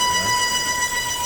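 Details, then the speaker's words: 2018 Volvo V40 T4 2.0 turbo at idle with a constant thin whistle near 1 kHz; the scanner showed a lean mixture; cause is a vacuum leak through the torn PCV valve diaphragm, and the noise stops when pressure is relieved. "então a gente conseguiu identificar um problema é que na válvula essa película tem aqui ó quer ver Vou tirar a pressão aí ele para o barulho"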